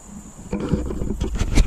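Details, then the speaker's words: John Deere 5065E tractor on a cold start, first crank after replacing the starter and solenoid with a new John Deere unit. It fires right away; deep diesel rumble settling into an even chug, sounding healthy. "well with that first turn cold start crank I guess there's no no doubt that the starter solenoid combination was the right way to go"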